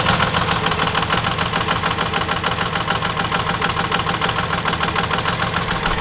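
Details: Diesel truck started after lift-pump priming and the injector lines were bled: clatter at idle with an uneven pulse of roughly 200 beats a minute that is still lumpy but improving as it clears. It idles rough after air got into the fuel.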